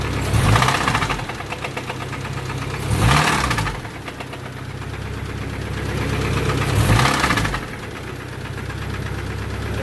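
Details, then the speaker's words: 1992 Honda Accord with stock JDM H22A, turbo, 1000cc injectors: heavy uneven thuds in bursts over a rough idle; owner suspects the cam or motor knocking; bad internal knock, source unconfirmed. "is that sound very bad sounds like the cam scared to drive it"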